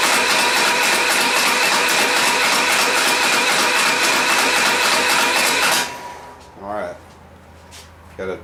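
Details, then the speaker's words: Type 4 engine cranked with plugs out to build oil pressure before first start; starter churns at an even ~4 turns per second then stops, no knocks or binding; about 30 psi reached. Normal cranking. "all right guys we're going to see if we can get some oil pressure here"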